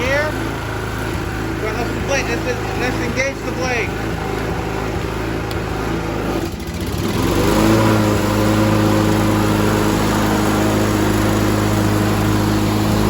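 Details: 2011 Toro Personal Pace 20333 mower with blade clutch, B&S 190cc, after carburetor clean and rebuild, governor spring adjustment and a new spark plug; smooth, even note that deepens slightly when the blade engages, running healthy.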